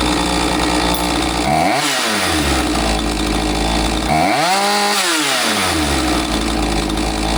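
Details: Husqvarna 543XP two-stroke chainsaw that bogged after the owner misadjusted the carb with online adjustment tools, after the shop's carb adjustment: two clean rev-ups climb smoothly to full speed and drop back to a steady idle, crisp throttle with no bogging.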